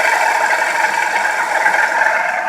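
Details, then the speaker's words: 2006 Buick Lucerne 3.8L V6 running: steady whirring whine with a rough, rattly edge holding with engine speed from the failing water pump bearing; pump also leaking coolant near the crank pulley, before replacement. "the water pumps making so much noise I'm sure it's gonna go out here pretty soon"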